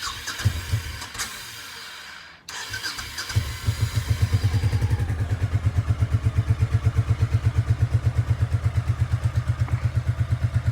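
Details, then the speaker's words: Honda Shadow Sabre 1100 V-twin, fresh fuel added, nothing else done: after a brief crank it catches and settles into an even, steady thumping idle on choke; runs healthy. "I don't know if you'll believe this or not but I've done nothing to this bike that's running without the choke on right now choke is on"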